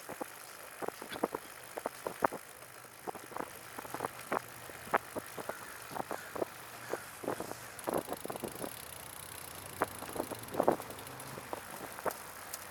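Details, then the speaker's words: Ben's trike on a bike trail ride: sharp light uneven ticks a few times a second from the rear wheel, seemingly tied to wheel revolution, worsening; apparently not derailleur alignment, spokes or wheel bearings suspected. Cause unconfirmed. "I had to twist it a little bit more. It got worse. Yeah, I can still hear it for some reason."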